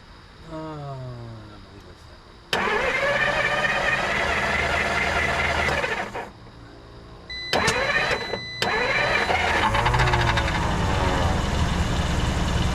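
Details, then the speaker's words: 1954 Dodge Coronet V8, first start after 42 years sitting: cranks, catches and runs rough for a few seconds, then cuts out, and a second start catches again. Engine starts then dies; owner suspects lost spark, not confirmed. "I think we lost spark, folks."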